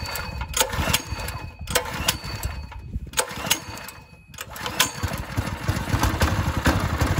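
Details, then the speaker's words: A Ryobi 3100 PSI pressure washer's 212 cc engine sputters and pops unevenly running only on starting fluid because the carburetor is clogged; carb to be removed. "all right so at least we know the motor runs I'm gonna drop the carb I have a feeling it's pretty bad"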